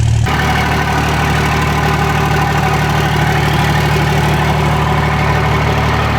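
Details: 2007 Ram 2500 4x4 dually diesel just fitted with Flux 103% over injectors, Hamilton valve springs and Smeding pushrods, fluids topped off and warming up after start: catches at once, steady even idle clatter with no miss or knock; normal warm-up idle.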